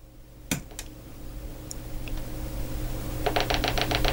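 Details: Macintosh LC rescued from a recycling centre, after a new PRAM battery failed to help: quiet room, a few isolated clicks, then a fast run of sharp even ticks and no startup chime. A failing power supply is suspected, with a replacement PSU tried next.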